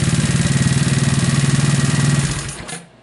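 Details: Scooter with a 171 big bore kit and aftermarket starter coil: an even, steady putter at idle with a regular pulse, then a clean shutdown. It runs smoothly with no misses or knocks.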